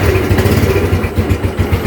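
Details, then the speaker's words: Old Yamaha Nouvo scooter idling before replacing its worn roller housing (original Yamaha 5LW part): steady, even low pulse with no rattle, squeal or grinding from the belt drive; the CVT sounds healthy, no strange noises. "ini bunyi CVT-nya si Nupo, kalau kalian mau tahu. Ya bunyinya."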